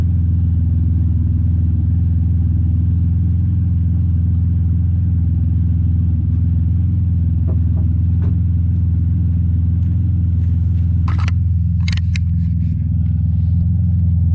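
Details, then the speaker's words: Chevrolet Impala, warm restart after shop replaced holed exhaust pipe section (old tip kept): deep steady rumble, no puffing, ticking or rasp, much quieter than before; exhaust sealed, normal. "So as you guys can probably tell, it's a lot quieter, for sure. Can hardly hear it now, actually."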